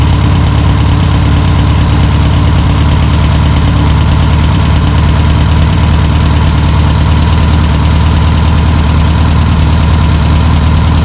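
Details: 1962 VW Type 2 van/bus flat-four, sat over 40 years, running on its own fuel: loud, steady low chuff idling evenly, no knocks or stumbles; normal idle.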